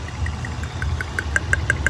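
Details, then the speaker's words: 2000 Honda Odyssey with a flashing check engine light, shaking hard with a rough idle and sharp snapping ticks five or six a second. In a coil test, the middle rear ignition coil is arcing and must be replaced. "tenemos la bobina de media que atrás nos está echando chispas hay que reemplazar"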